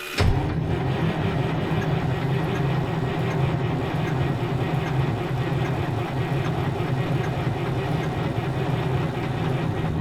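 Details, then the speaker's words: 1973 Freightliner cabover with Detroit 8V71 after blower reinstall, fuel previously drained: steady even churning beat for about ten seconds without catching; it is getting some fuel, amount uncertain. "Remember, we drained all the fuel out of it, so... It's getting some fuel, I don't know how much."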